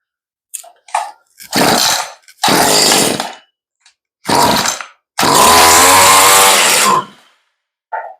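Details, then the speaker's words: Stihl string trimmer that sat in the weather, first start after a fuel-line and carb rebuild, choke checked: catches in short ragged bursts, revving up and falling off, won't hold steady; rough running, carb probably needs adjusting. "huh that sounds promising okay we probably have to adjust the carburetor a little bit"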